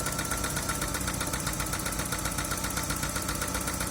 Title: Дэу нексия, стучит двигатель